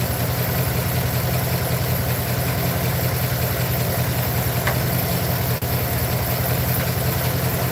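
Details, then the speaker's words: Truck at low idle with a slightly uneven, loping pulse two or three times a second. Owner feels it got worse and plans to pull and check all the spark plugs. Misfire at idle. "I'll probably probably pull all those plugs and check them all camera back I feel like it got worse to be honest"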